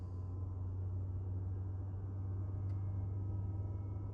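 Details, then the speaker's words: 2023 Tesla Model 3 RWD, interior mic, plugged in at a supercharger without preconditioning, after the AP computer was replaced and the cooling system partially refilled and bled. A steady low hum as the heat pump kicks in and works hard; normal operation. "I don't think I hear the heat pump going crazy. There it goes, I hear it now."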